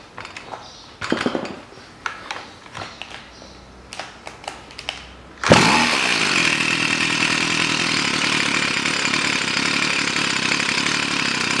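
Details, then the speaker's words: Stihl FS 55 trimmer that wouldn't start because of a flooded plug from too much oil in the fuel mix. Fixed by adding pure gasoline. After rough pull-start rasps it fires and runs smoothly and steadily when warm; normal running. "вот такая что бывает причина от перелива масло еще раз попробую все работает"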